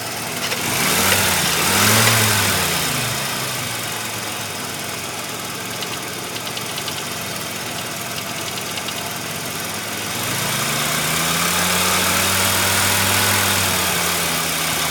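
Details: 1985 Mazda RX-7 rotary idling warm with a steady knock at about two to three beats a second. It only happens once warmed up; the owner hopes it is a pulley, and the cause is unconfirmed.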